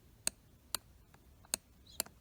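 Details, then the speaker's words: 2008 Mercedes C300 (W204) driver seat control switch, moving seat back: four crisp sharp clicks about half a second apart in a quiet cabin; switch makes contact normally (fault is elsewhere: backrest won't move forward). "So first of all, if I move back, listen really carefully, the sound that the switch makes clicking and making the contact."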